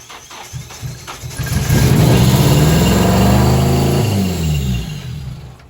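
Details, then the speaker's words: Tyler's turbo KA (KA-T) Nissan 240SX after a good distributor replaced the bad one (spark and injectors confirmed) and backwards fuel lines were found: it cranks, catches, revs smoothly and settles back. Normal start and rev. "she runs [Music] tyler's ka runs now which is fantastic"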